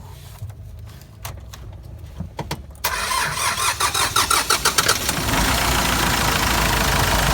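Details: Hyundai Porter 2 with D4CB diesel, trouble code P1188 present; starter cranks nearly three seconds, engine catches, stumbles unevenly about two seconds, then settles, hard starting with long crank.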